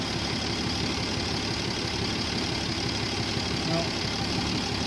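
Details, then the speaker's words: 1967 Jeep Gladiator dormant over 40 years, 6k original miles, running lean: after richening the carburetor mixture the vacuum came up and the idle is an even, steady low exhaust burble with no misses. "think that's good hear how the exhaust kind of cleaned up"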